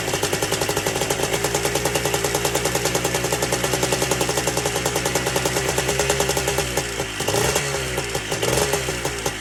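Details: Two-stroke ATC three-wheeler, seized half an hour earlier and freed with plenty of top-end lubricant, smoking heavily: a crisp, even buzz with steady firing pulses and no knocking or misses. Running fine.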